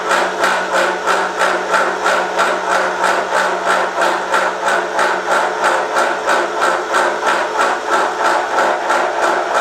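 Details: Milling a vee-block from dense old forklift-tine steel with carbide cutters, an angle cutter and coolant, taking 1 mm cuts: sharp rhythmic chatter about three hits per second, louder as cuts deepen. A cheap Chinese arbor's runout lets only a few teeth bite.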